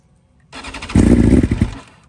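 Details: 2020 BMW S1000RR (K67) on stock software, true cold start: a short crank, then it catches roughly and dies within a second, needing several restarts with some backfiring, because one ignition coil is dead.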